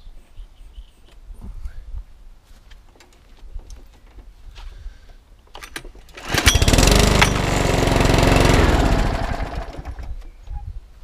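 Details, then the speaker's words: Cheap UK-store 2012 mower with small Chinese OHV engine, fuel cap stuck: after priming two or three times it catches, runs roughly about four seconds and dies; fuel starvation, tank flush and carb clean needed. "the problem we've got is is that you prime it two or three times start for venator just cut out that's what it's doing"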